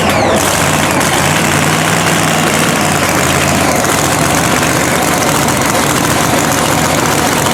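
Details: Blown 3,500 HP Hemi drag truck after an all-night rebuild following a 3-second pass. Loud, heavy, choppy idle that holds steady after a brief blip; all cylinders appear to be firing.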